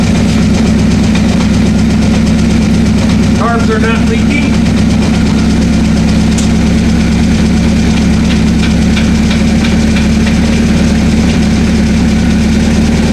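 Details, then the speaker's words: 1984 Honda CB700SC four-cylinder, first run after fixing a no-spark fault, choke off: loud, steady idle with even firing; all four cylinders running, float and clutch freed up, no fuel leaking, tach working, oil light off. "all four cylinders are we got Spark all four cylinders are running FL is freed up"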